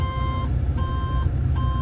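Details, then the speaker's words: Develon/Mecalac construction machine diesel warmed up under hydraulic relief load before a planned DPF regen; sharp high beep repeating about every 0.75 s over rumbling diesel, no error code or active faults shown; cab warning beeping, cause unknown. "what's that noise me why is it beeping and there's no error C that is strange that's generally tells you there's something wrong"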